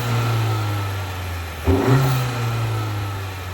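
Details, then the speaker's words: 2024 Honda Accord EX turbo, phone right next to the engine: steady idle and one clean rev blip with a faint turbo whistle; normal revving. "so I don't know if you guys could hear the turbo, but it sounds it's a little bit there. It's not crazy or anything, but you can definitely hear it a little bit."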